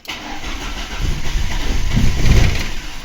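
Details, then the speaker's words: VAZ 21099 first start after engine reassembly with plugs and leads fitted, oil system primed, no antifreeze yet: starter churns unevenly about four beats a second without firing after long cranking; possibly flooded. "не хоче ще раз я довго крутив стартером пока прокачав могло її залити"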